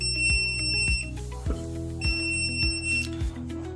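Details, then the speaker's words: Rosefinch 6.0 kW drone tether power station on backup battery at 91% capacity with AC off: shrill electronic beeps about every half second over a low hum, the alarm warning that there is no AC input. "This alarms because this machine now not turn on, haven't turned on the AC, so it alarms."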